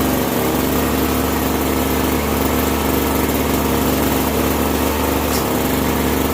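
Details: Bolens 322 snow blower curb find, carburetor cleaned, fresh gas, primed, running on choke: small single-cylinder engine with a smooth rapid putter, no misses or surging; normal running.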